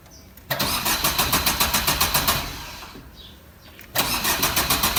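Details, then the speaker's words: Car (possibly a diesel Swift) not driven for many days, after checking coolant and battery: even starter chug about three and a half per second, pause, cranks again, never fires; cranks, no start, cause unknown, owner suspects long standing. "अ भी crank कर रही है start नहीं हो रही पता नहीं समझ नहीं आ रहा की दिक्कत आई है"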